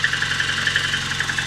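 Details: VAZ 2109 at about 192,000 km on its original unrepaired engine at cold idle: crisp, even ticking about ten times a second from the top end; suspected tappet clatter from worn seats.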